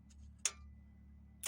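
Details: Chrysler 200, no crank, no start, with the starter circuit jumped by hand: two sharp clicks about a second apart and nothing turning over. The starter engages but the engine never cranks.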